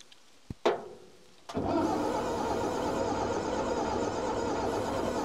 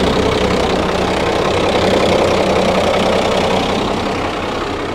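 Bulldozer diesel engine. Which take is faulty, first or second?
first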